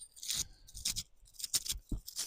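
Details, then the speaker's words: Case 1845C skid steer wheel bearing, turned by hand after removal: rough, gritty crunching in uneven bursts. Grit is inside and the bearing is worn out and junk; the other bearing was in pieces. Both are being replaced. "All that grit is in there. Them bearings are junk."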